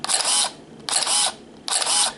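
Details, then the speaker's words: Canon EOS Rebel S 35mm film SLR body in manual mode at 1/1000 s, its fastest speed: three identical crisp shutter-and-mirror clacks about 0.85 s apart; a healthy shutter at top speed. "Well This is the one at the speed of 1000 which is the fastest"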